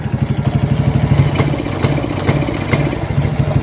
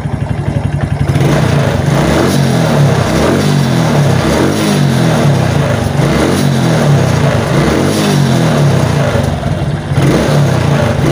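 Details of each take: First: Suzuki Titan/Smash motorcycle with the battery negative disconnected: the engine stumbles (brebet) and won't rev under throttle, and the battery had been draining. Cause is a faulty regulator/rectifier (kiprok), to be replaced with a genuine part. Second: Suzuki Titan/Smash motorcycle fitted with a new battery revs smoothly and holds high rpm with no stutter or misfire; the original complaint was dying under throttle when the battery dropped, suspected regulator/rectifier.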